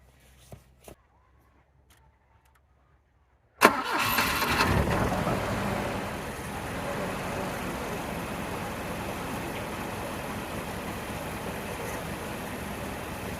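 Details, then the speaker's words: 1985 Volvo 740, Weber 32/34 DMTL carburettor jetted for E85, sat over a year, after fuel poured in: engine catches with a loud burst and settles to an uneven lumpy, smoky idle; over-fuelling, jets need replacing. "because I think it gets enough fuel definitely smoky so yeah this is why we need the carburetor sorting out we need those Jets replacing because she's getting way too much fuel"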